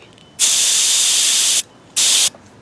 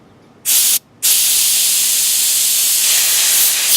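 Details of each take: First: Master Airbrush TC-40T compressor driving a Paasche airbrush through a new adapter, regulator backed off from 60 to about 35 psi: two clean bursts of even, high hiss, one long and one short, with no sputter or pulsing; the airbrush sprays normally. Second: Master Airbrush TC-40T compressor with a Paasche airbrush: its regulator is factory-set at 60 psi instead of the expected 30–35. The airbrush gives a loud, harsh hiss with a steady tone on top, from excessive air pressure.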